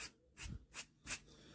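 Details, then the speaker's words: New-old-stock bearing for a WW2 generator rebuild, spun by hand: gritty, notchy rasping from a rusty, bad new bearing. "And this is a new old stock bearing, and look at the rust on that. How can anyone possibly sell that? And it's notchy as heck."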